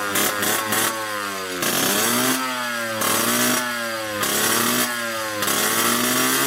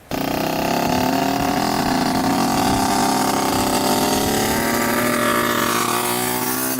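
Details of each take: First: 1986 Yamaha YSR 50 two-stroke, running again after more gas added, following carburetor reinstall and priming with premix: a crisp buzz climbing freely through repeated throttle blips and dropping back cleanly, no misfire or bogging. Healthy engine. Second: 1986 Yamaha YSR 50 two-stroke on its first ride: buzzy engine climbs slowly and sags under throttle instead of snapping up; bogging, suspected fuel blockage ('something's getting plugged up'), oil and piston still to be checked.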